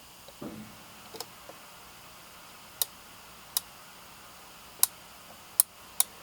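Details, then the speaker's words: Version 2 AEG airsoft gearbox during reassembly, gears spun by hand after fitting the sector gear: sharp light clicks about every second. This is the anti-reversal latch hitting the bevel gear, normal. "You hear that clicking? That's the AR latch hitting the spur gear, or bevel gear, sorry."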